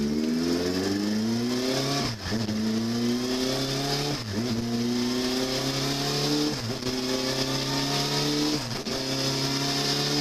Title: Ford Taurus V6 engine Timing chain noise need to replace